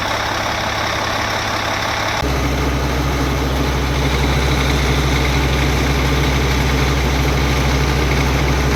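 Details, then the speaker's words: Cat 3306 diesel power pack with a new Delco Remy 39MT starter (replacing the 50MT), cold shop at 52°F, no glow plug power: a brief starter whir, then it catches cleanly into a deep, even, steady idle. A healthy diesel start. "so let's see if it'll pop off we don't have glow plug power so we may have to use some ether"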